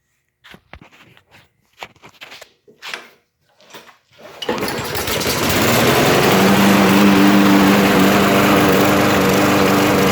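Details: Auto-choke lawn mower pull-started, then runs fast and slightly unsteadily, surging instead of holding a steady idle even after carb cleanings and swap; cause was a wrong carburetor bowl nut for the model.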